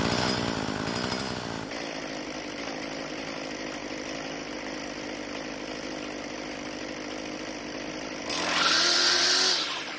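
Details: Craftsman two-stroke string trimmer after replacing broken fuel lines: a crisp, high buzz holds steady, rises sharply on throttle and drops back cleanly. It runs very well; only the idle speed may need adjusting once it has cooled and been restarted.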